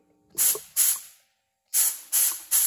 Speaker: That little bit there. I just put like 120 PSI to it. So, that's port closure right there.